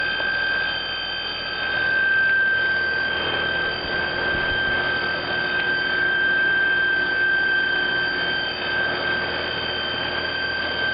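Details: Trane XR12 heat pump/air conditioner outdoor unit: steady high-pitched squeal over even fan whoosh; squealing outdoor unit, cause not yet clear.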